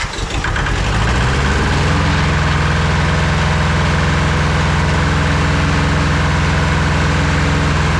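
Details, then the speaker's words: Roughly 40-year-old Hinomoto diesel tractor that had not run in years, after fitting a new starter and ignition switch and rewiring: cranks briefly, catches within two seconds, then settles into a steady, even, low diesel rumble with no knocks; runs well. "Wow. Okay, that runs real good."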